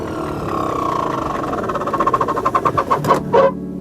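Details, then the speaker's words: BMW E38 blower motor on max speed: loud steady whine with fast pulsing roar rising toward the end; fan spins freely both sides, owner suspects motor wearing out or dry bearing, not confirmed. "i checked it it was it's it's spun freely on both sides i'm thinking that it may just be going out i don't know maybe the bearing would dry"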